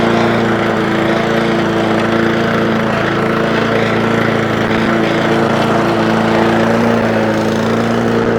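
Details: Honda Lawnflight 553 HRS Pro mower with Honda GCV160 engine, testing rover clutch and drive together after gearbox rebuild (drive had gone): steady, even engine drone with smooth drive hum, no knocks or grinding; runs as it should.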